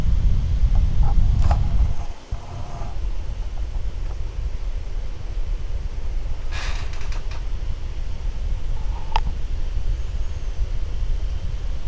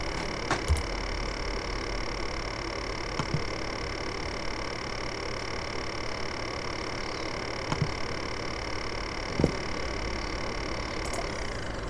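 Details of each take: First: A1398 MacBook Pro fan after dust cleaning, under Prime95 load: even, constant airflow hiss at high speed with no rattle or ticking; dust-caused noise gone, healthy fan working hard. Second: Apple A1398 MacBook Pro recorded at the fan grille: a loud, steady whirring rattle with a thin high whine that sinks and fades as the fan spins down at shutdown; fan rattle.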